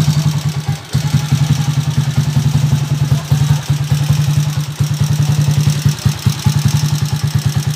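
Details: Honda TMX155 single-cylinder motorcycle at idle: loud, busy fast even pulses with heavy mechanical clatter, excessively noisy engine; owner notes a howling first gear and plans to replace first gear, main shaft and mating gear.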